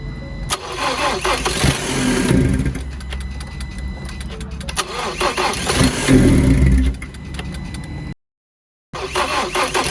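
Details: Salvage 2019 Ford Transit Connect being rebuilt: cranks and catches, then runs ragged with surging uneven revs and brief cut-outs, won't settle; rough running after start, owner attributes it to vacuum lines and other items.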